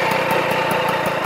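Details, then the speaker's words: 1989 Magnum Racing Ceramic White moped with a two-stroke engine, started though tired: a rattly idle with a dry, rough rumble pulsing several times a second; the crankshaft bearings are worn and noisy. "voilà donc on entend bien le les roulements c'est bruillanti ai au fait c'est REP bien sûr"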